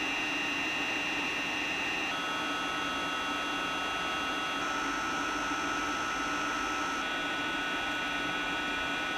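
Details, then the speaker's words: 3D printer cooling fan driven by PWM: a steady high whine over the fan's airy rush, pitch stepping at times; the noise comes from the PWM signal rapidly switching fan power on and off, later eliminated by a fix circuit. "I hate this noise so much… And to suppress it is a really hard task."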